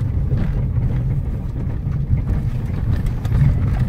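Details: Fiat Strada on a road test for a suspension noise: only steady low road and engine rumble, with no rattle or knock from the rear. The earlier rattle came from the rear and the tailgate was suspected.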